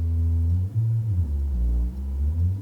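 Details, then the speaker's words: Rebuilt Magnepan MG-3.6R speaker panel, fully re-wired after wire delamination: a pure low test tone sweeps from 80 to 104 Hz and plays cleanly with no buzz or rattle. "So, I can hear the bass. So, here's that 80 hertz. To 104 hertz. There is no buzzing."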